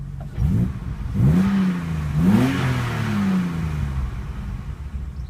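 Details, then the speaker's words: 1983 BMW 635CSI manual, warm engine (temperature gauge mid, idle about 800-900 rpm): clean throttle blips rising and falling smoothly from steady idle, no knocks, hesitation or flat spots; healthy. "there's no knocks or horrible flat spots or anything like that"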